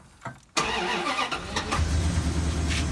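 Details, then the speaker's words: Truck with distributor ignition, stored almost a year, with no power, hesitation, bucking and pinging; it starts and idles with an uneven thump from a dead-miss misfire, and the check engine light is on. "you hear a thump thump thump thump thump thump thum thump that's a misfire it's a dead miss right now at idle"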